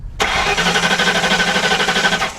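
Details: Hurricane-flooded 1992 Ford Crown Victoria, 11,000 miles, after wiring was disturbed near cruise control module: steady, even starter cranking about ten pulses a second, engine spins freely but never catches; cranks, no start, cause unknown.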